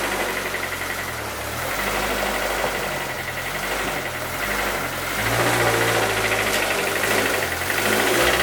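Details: 2007 Lotus Exige track car, about 80,000 miles, spun its rod bearings at its second track day; creeping into its parking spot, the engine rises and falls with a dull regular knock from the bottom end. The engine is finished.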